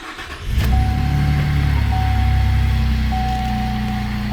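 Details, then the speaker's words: Chevrolet Colorado ZR2 Bison 3.6L V6 with newly installed Mallett supercharger, PCM reflashed, first start after install; catches cleanly after a short crank into a smooth cold-start idle slightly high, no hesitation, no check engine light, normal. "we have no check engine lights smooth run no hesitation i am on a cold start idle so a little bit high"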